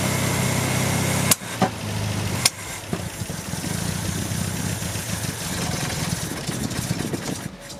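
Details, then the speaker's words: 1974 MGB engine warmed up. It ran well on choke, but once the chokes opened it sharply popped and backfired out the intake, stumbled and died. A blown intake gasket vacuum leak is suspected; the owner also suspects the big jets need smaller air correctors. "But as you guys saw, once the chokes opened, it started backfiring out the intake. It would die down,"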